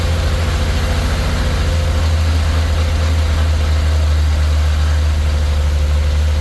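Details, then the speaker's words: 1934 Chevy four-door sport sedan barn find, first start in 23 years: deep, steady low-pitched idle of the old six with an even beat, no knocks or misses; runs fantastic, normal healthy idle. "wow that thing runs fantastic I can't believe how good that thing runs listen to that thing that's unbelievable"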